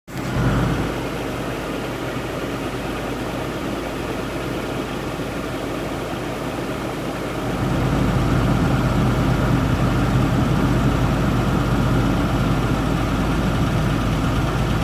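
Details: 1999 Nissan Pathfinder VG33E, over 100,000 miles on old plugs and wires, cold idle: soft knock about four a second that swells louder then fades, repeating until fully warm, then quiet; owner suspects lifters, rocker arm or exhaust manifold leak.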